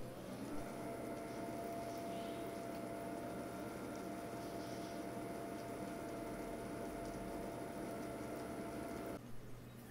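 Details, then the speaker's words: Watercooling pump running at full speed, placed directly on a bare table before mounting on a foam Shoggy Sandwich: steady low hum with mains-like tone and faint rattly overtones as vibration resonates through the tabletop. "now for the noise comparison here's what the pump sounds like placed on the table running at full speed"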